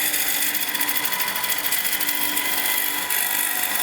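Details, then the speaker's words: Wood lathe turning maple with a gouge, taking slow light cuts: steady, even hiss of peeling wood with no chatter or vibration. "let's see if I take my time and let the tool do the cutting and don't rush it you lose the vibration"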